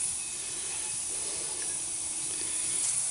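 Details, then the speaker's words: Troy-Bilt Horse riding mower tire punctured by a piece of wire: a constant high hiss of air escaping while the hole is cleaned out with the reamer, before plugging it with a Slime tire plug kit. "of course now we can really tell where the hole is at as we can hear it hissing"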